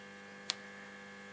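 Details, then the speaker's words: 1947 STC Bantam C141 valve radio powered up at about 150 V B+, rectifier working: constant low mains buzz with one brief crackle and no stations received; fault traced to a valve not fully seated in its socket. "Rectifier's working, good. I'm at about 150 volts at the moment. I can hear the radio buzzing. Nothing as yet."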